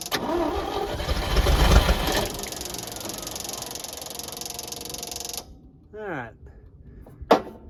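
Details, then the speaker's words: Champ forklift of unknown year, sat for years, cranking strongly and evenly at about three to four turns a second for five seconds without firing; no fuel reaching the engine. "so this old girl run once we get her some fuel"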